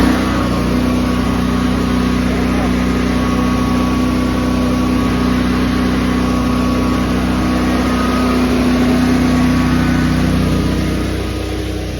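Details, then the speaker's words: Honda EB 11000 generator on propane at high tank pressure (175–200 PSI), auto idle on, restricting connector replaced: steady, even drone with a constant mid hum and no hunting or misfire; starts and drops cleanly to a smooth idle. "And we'll hit the starter and leave this on auto. Hit the starter. Idles right up and goes right down to idle."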